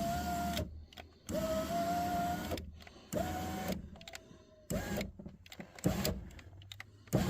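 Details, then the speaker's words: 2003 Chevy Tahoe, passenger-side power window after window regulator replacement, test run up and down once clamp bolts are tightened: smooth steady motor whine, soft stop at each end, no grinding or binding. Window had been stuck down before; normal operation, repair successful. "we're going to run it up and down a couple times to verify that it is working"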